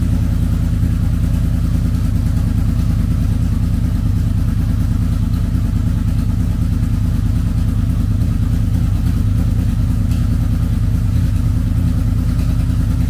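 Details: Wrecked 2006 Honda VFR800 V4, broken inner clutch basket, run without clutch: steady low burbling idle, no misses, knocks or rattles, healthy; oil leaks at slave cylinder seal because clutch push rod is not installed.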